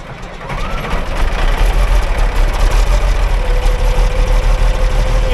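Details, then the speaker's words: Cold diesel farm engine, just restarted after the injectors were reinstalled and with air still being bled from the fuel system, idles with a deep, uneven chug of about three beats per second that stumbles now and then; possibly missing, unconfirmed until it runs longer. "kind of sounds like it's missing but we won't know until we start running it"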